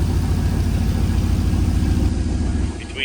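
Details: 1937 Nash coupe, 6.0 Vortec V8, new 58 lb/hr injectors, idle set to 700–800 rpm: uneven, shaking idle pulses instead of a smooth burble. One bank is dead, running rich.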